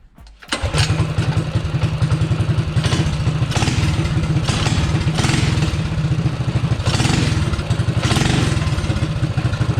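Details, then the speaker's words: Predator 212 engine on a MotoVox minibike after cleaning and tuning the PZ26 carb (fuel screw about 1.5 turns out, needle clip middle): quick start, revs rise and fall cleanly with no stumble; good tip-in throttle response. "That sounds pretty good. So, it actually sounds pretty good right there. It has good tip-in throttle response."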